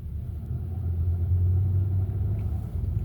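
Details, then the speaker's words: Hyundai Sonata DN8 (The Edge) in limp mode after a full-throttle test drive: power cut at about 100 km/h, no further acceleration, engine warning light; low, uneven growling rumble instead of a clean hum. Codes later showed low oil pressure and oil pressure sensor range faults. "출력 제한되었고 가속 안 되고 소리도 부릉부릉이 아니고 부그릉 무그릉 그릉 그릉 이런 소리가 나니 천천히 들어가야 봐야겠어요."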